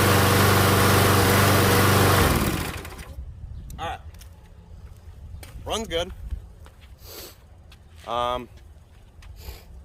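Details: MTD Gold mower with Briggs & Stratton Quantum engine after pull-rope repair: small single-cylinder engine buzzes evenly about two seconds then shuts off; no misfire or knock.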